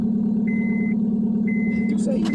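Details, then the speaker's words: 2005 Honda Civic after cleaning a corroded starter contact, fixing a one-click no-start: starts and idles smoothly with an even low hum and intermittent chime. "All right, moment of truth. We're in business."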